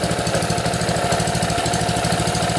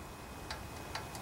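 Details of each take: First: Honda GC160/GC190 pressure washer engine (water pump already bad) after valve adjustment runs with a steady, even firing beat and the valve ticking gone. It is still smoky from burning off excess oil after being overfilled and tipped over. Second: Honda GC160/GC190 pressure washer engine pulled over slowly by the rope: sharp, light metallic ticks from the exhaust valve with excess clearance, needing valve adjustment. Engine was also overfilled with oil.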